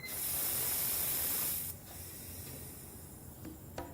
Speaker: And we lost a little bit of air, so I'm going to go ahead and add a little bit more air to put our 32 pounds or whatever your car calls for.